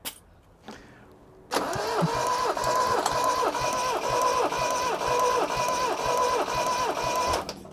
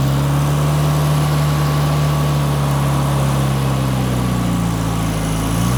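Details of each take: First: Toyota RA28 Celica Fastback four-cylinder, compression test while cranking on the starter: steady, even cranking with about two compression beats per second. Readings are 175, about 168 and 165 psi, only 10 psi spread across all four cylinders, higher than expected. Engine is healthy. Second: Toyota RA28 Celica Fastback on a quarter choke on a warm day: low drone that wavers unevenly and drifts lower instead of settling. Owner is unsure whether the right vacuum lines were blocked off. Rough, unsteady idle.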